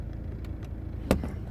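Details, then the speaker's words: 2009 BMW 123d E87 driver's window switch pressed: single sharp click from the door with no motor hum, window never moves; window fault, later fixed without parts. "so when you try to open or close the driver's uh window obviously you can't open it okay I already told it doesn't open so you can hear the click somewhere in there"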